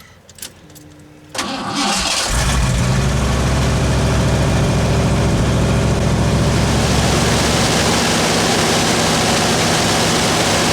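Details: Vehicle just fitted with new gas tanks and Cherry Bomb turbo mufflers, not started for a couple of weeks: a quick crank, catches at once, then a deep steady exhaust rumble settling into an even idle. It starts and runs fine.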